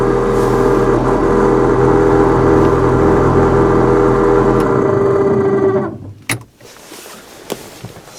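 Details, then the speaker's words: 1991 Ford F-150 heater/AC blower motor before replacement, on high, other three speeds dead: droning fan with wavering tone and rough uneven rumble about three per second, worsening over time; motor worn out. "but the motor itself doesn't run smoothly at all as i'll demonstrate so that's the high speed these other three speeds on here are all dead it just sounds terrible it's gotten worse over time too"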